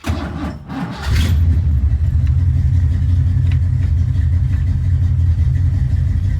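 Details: Grey Ghost car on its first drive: engine catches and settles into a lumpy low idle with an uneven beat near three a second; a persistent misfire, owner suspects a spark plug.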